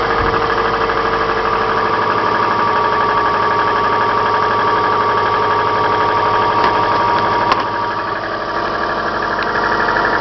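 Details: Subaru Forester on Mobil 5W40, cold idle: steady, fairly even tapping about four a second; knock slight in summer, much louder in winter, gone when warm; owner suspects timing belt tensioner or cylinder 4, unconfirmed.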